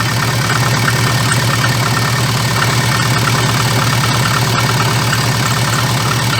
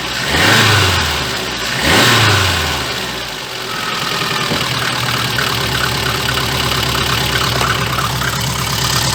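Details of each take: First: VAZ 2114 idle with fast, uneven light clatter/vibration, worst when dropping throttle after revving to 2000-3000 rpm; cause found to be a cracked, wobbling crankshaft damper pulley needing replacement. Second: VAZ 2114 after fixing a knock that appeared on throttle release: revving rises and falls cleanly into a smooth steady idle, no clatter when the throttle snaps shut; a leaking muffler adds a low-frequency exhaust note.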